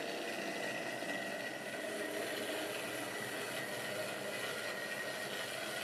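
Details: Wrenn West Country class model loco Lyme Regis, not run since the 80s, after joints greased and reassembly: quiet, even, high-pitched motor whir, no rattle or grinding; runs smoothly.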